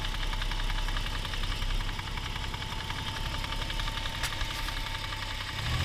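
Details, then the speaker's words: Toyota 1G-FE (Altezza / Lexus IS200/IS300), fully warmed, idling: steady rapid tapping from the front timing-cover area. No noise when cold; VVT clutch suspected, cause unconfirmed. "Звук идет отсюда. Такое ощущение, как будто это что-то связанное с ГРМ."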